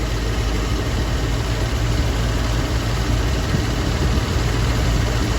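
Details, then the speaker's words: 1966 Ford Thunderbird idling smoothly, steady even rumble with no misses or surging, just before an alternator check: negative battery terminal about to be disconnected after ammeter gauge problems and battery drained from 12.5 to 10.5 volts. "what i'm noticing is uh she seems to be running smooth right now so we're going to check real quick to see if we have a bad alternator"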